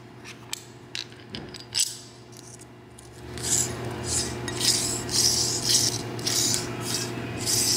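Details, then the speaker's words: 2006 Toyota 4Runner 4.0 idler pulley, removed during an alternator replacement and spun by hand, gives a dry, scratchy rasp in bursts from rust built up between the pulley and washer while the car sat. "Here, from the car sitting, rust build up on the pulley and build up on the washer, causing the two to mate and make noise."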